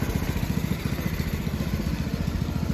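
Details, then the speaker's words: Go-kart single-cylinder engine just fitted with a new PZ20 carburetor, idling in neutral: slow, slightly uneven putter; the idle sits a little low. "changed out the carburetor put a new carburetor on got the engine running sounds like the idle is a little bit off"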